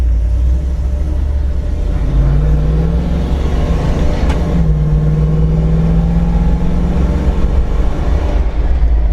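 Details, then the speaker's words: 1983 Toyota Land Cruiser FJ60 swapped to a 5.3L LS V8, accelerating from a dig to 45 mph at about half throttle, tires getting loose: deep V8 rumble climbing smoothly then steady drone, no misfire; normal acceleration. "So, that was just from a dig to 45 miles an hour. Which I wasn't I mean, I was half throttle maybe and it, you know, got loose a little bit which is pretty cool in a Land Cruiser, dare I say."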